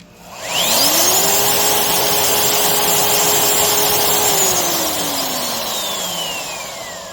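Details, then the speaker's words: Skil RT1322-00 1/2" 1680 W router after replacing loose silicone tension washer with proper bearing wave washer: clean whine climbs quickly, holds steady at 25,000 RPM without vibration, winds down smoothly. Normal running at top speed. "it runs smoother and sounds much better at that extreme 25,000 RPM."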